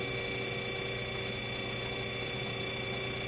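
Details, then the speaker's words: Hydraulic pump on a hydraulic motor demo rig with a valve opened to let air into the system; constant gravelly hiss and hum as bubbles form and efficiency drops; pump cavitation. "the efficiency is dropping off so we get more bubble you know this is a pump collapsing and will create cavitation"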